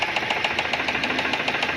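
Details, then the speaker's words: Fiat Siena retest, oil light now off but a slight knock remains at the front: sharp metallic knock about seven times a second over steady idle; rod knock, judged to need engine opened, head later removed showing piston hitting. "Só que aqui na frente ainda tem o barulhinho, ó. Pouquinha coisa. Aí tá batendo o pistão, né?"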